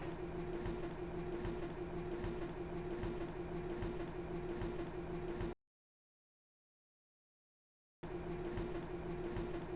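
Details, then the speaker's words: Grand Design fifth wheel RV slide-out motor, newly replaced after the old one stuck, hesitated and failed: even quiet drone with steady mid tone, a short pause, then the same smooth run; healthy slide motor. "Well, all right, we've got the slide motor replaced and everything is working as it should, and we can finally stop worrying about this thing."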